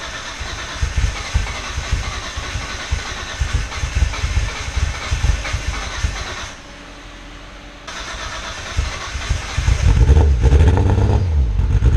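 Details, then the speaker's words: R32 Skyline GTR after a fuel pump connection fix, plugs looked fine: uneven chugging idle with lumpy irregular pulses about twice a second and stumbles. Misfire; owner suspects the tune, unconfirmed. "Still misfired. It died. Something's really wrong. It might just be the tune because those plugs all looked fine. I don't know, it shouldn't be chugging like that."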